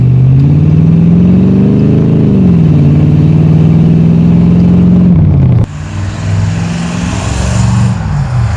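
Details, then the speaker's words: 1984 Corvette, 350 small block with Holley 1460 carb, on 89-octane gas, hard pull on the road: deep V8 climbs, then sags with a brief rough stutter and big backfires. Stumble on acceleration; owner suspects accelerator pump tuning, cause unclear. "Big backfires. So see, you guys hear that little stutter? I'm not sure what that's about."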